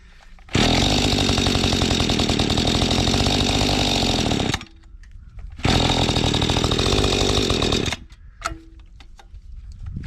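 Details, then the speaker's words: Mantis tiller two-stroke after carburetor cleaning, unadjusted, choke on: fires at high flat buzz, runs seconds and cuts out twice; still starving for fuel, high-speed screw at its limit stop. "Burp. Well, still starving for fuel, sounds like."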